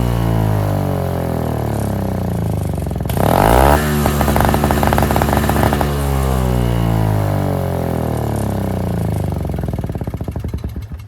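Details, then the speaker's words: NOMA 4.5 hp Tecumseh two-stroke 21-inch single-stage snowblower, pull-started after the tar-clogged fuel filter was replaced: fast, even beat, rising briefly when throttled up, then settling. Runs clean and healthy, normal. "Runs great. I'm stoked."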